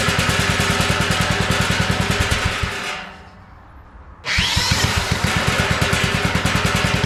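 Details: Abandoned tiller with a small single, first run on two-cycle gas while leaking fuel: steady pops about eight a second that sag almost to nothing, then catch again. It revs only on choke, so the carburetor is clogged.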